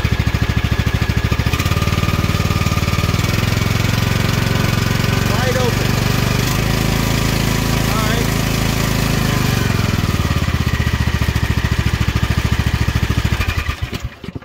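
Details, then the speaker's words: Craftsman riding mower with a hydrostatic transmission, after the broken fan was replaced and the belt reinstalled for testing: clutch let out, steady low engine drone with a slight rev rise, no squeal or rattle from the drive, much quieter than before; normal running. "let the clutch out and we'll watch things move here so much quieter Now isn't it"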